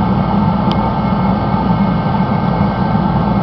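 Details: Rebuilt Mr. Heater Contractor Series torpedo heater at full output, non-contact thermometer reading up to 1500 degrees at the outlet: steady, even low roar from fan and flame with no sputter or surging; burning normally.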